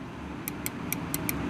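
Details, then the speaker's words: Little Giant VCMA-ULST (554415) condensate pump: light, sharp, unevenly spaced clicks over a low hum as the secondary high-level float is worked against its switch, which seems to have no hysteresis; float switch clicking normally. "it comes to this secondary switch here and you can probably hear the clicking there"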